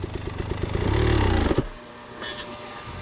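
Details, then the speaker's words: Motorcycle whose radiator cooling fan fell off: rapid clattering knocks ride over the revving engine and die away as it slows, as the loose fan strikes the surrounding parts. "Oh, your fan is hitting something. Did you bend your radiator? No, my fan literally fell off."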